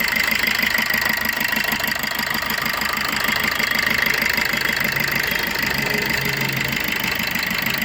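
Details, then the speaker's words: 2018 Maruti Swift Dzire, previously jerking with only two of four cylinders working, after ECU board repair: even, steady idle with regular beat and no miss or stumble, all four cylinders firing quietly; normal idle. "നേരത്തെ ഇത് full checking ആയിരുന്നു ഈ രണ്ട് cylinder മാത്രമേ ഇവിടെ working ഉണ്ടായിരുന്നുള്ളൂ ഇതിപ്പോ നാല് സിലിണ്ടറും വർക്കിംഗ് ആയിട്ട് സൈലന്റ് ആയിട്ട് നിൽപ്പുണ്ട്"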